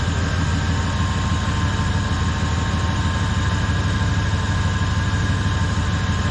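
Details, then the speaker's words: 1994 Chevy truck at idle, thermostat thought stuck after steaming, fan blade bent and previously hitting; steady idle rumble with a thin constant whine from the pulley area, owner suspects power steering, belt or fan, unconfirmed. Whine at idle. "Little whining. Is it a belt or a fan? It sounds like a pulley or something up here that's whining. I think it's the power steering."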